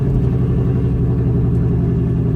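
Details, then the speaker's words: Six-speed manual push-button-start car, cold start in neutral: smooth even low rumble at steady fast idle right after start, no knocks or ticks; normal cold idle. "is a cold start, by the way, so we'll let it warm up for a quick little second."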